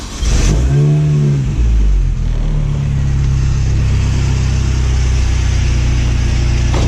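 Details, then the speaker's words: Mini Cooper S R53 supercharged petrol idling with brief blip: steady low rumble with light rattle from the failing belt tensioner, to be replaced and upgraded with SuperPro bushings. "And now two, the belt tensioner, and now it's making noise, as you can hear right"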